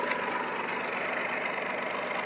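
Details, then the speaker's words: Kia after ignition work that removed excess wiring: steady, even, smooth idle hum at low revs with no pops or stumbles; the earlier misfire is gone. "can hear that there's not a misfire even a contingent one"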